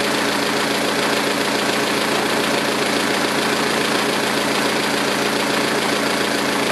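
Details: 2006 Saturn ION Redline with GMR cams and stock lifters: fast, light ticking, about three or four per second, over a steady idle. Stock lifters clattering with the aggressive cams; owner concludes solid lifters are needed.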